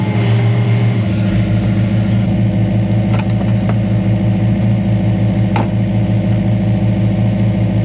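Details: Detroit Diesel-powered car crusher that had been holed by a bump, which explained why it held so little oil. A steady, even drone with a low hum and a few light clicks; running normally.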